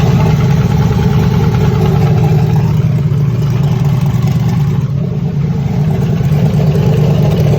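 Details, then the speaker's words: Texas Speed engine in Ruby, run with aggressive timing that burned the spark plugs: cold start the next day gives a loud, rough idle with heavy bottom-end clatter that sounded fine when hot; pistons melted. "when an engine is nice and hot and everything he can still sound ok so when we put it in the trailer you know it's good sounds sounds hot cold start next day no good you can hear it in this video"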